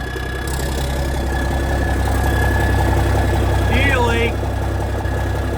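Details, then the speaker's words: 1987 cabover truck diesel idling cold after its first start in years, oil pressure about 40: low rumble with regular clatter and no stumbling. Running healthy; normal idle. "Hey, it sounds good. And you can't beat these old Cabovers, guys. Especially start up in the cold like that."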